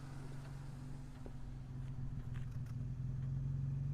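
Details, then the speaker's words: 1959 Jaguar XK150S Roadster, 3.4-litre, carburettors just gone through, mechanically quiet; low soft even burble at idle, "purring away", steady firing with a few light clicks, no knocks or misses; normal idle. "There we go, purring away."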